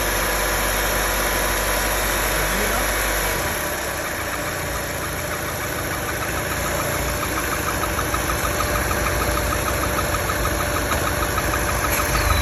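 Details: Opel Meriva B engine idling with a light, fairly quick clacking rattle over a steady hum; cause of the clatter unknown, engine clatter at idle.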